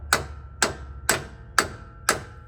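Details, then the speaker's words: 1998 Ford F-150 rear axle being fitted with a wheel bearing repair kit, O-ring toward the inside. Sharp ringing hammer taps around the edge while the bearing is not yet fully seated; the tone changes once it is in all the way. "we're going to use a hammer and just tap around the edge and you're going to hear a difference once it gets uh in all the way"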